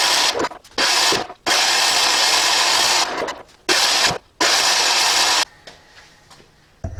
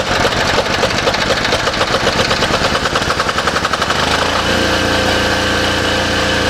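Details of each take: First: Cheap diesel generator sold as non-running, electric start with compression release: scraping noises, then uneven surging cranking that never catches. Owner suspects compression is not right and plans to check valve clearances and the injector. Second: Cheap diesel generator bought as a non-runner, with a new air filter fitted and a light bulb plugged in as a test load: it cranks with a rapid even chuffing, catches and settles into a steady smooth run with no knocks; it runs healthy.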